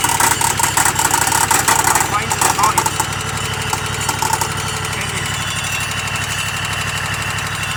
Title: EXMARK 60 " loud noise found in motor